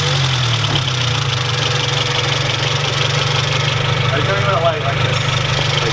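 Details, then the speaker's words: Honda Integra (about 140 hp, manual), idling with hood open: fast even ticking pulse over the low engine drone; owners point out the noise, cause unknown; abnormal engine noise at idle. "honestly just let an idle and pop the hood really you hear the noise"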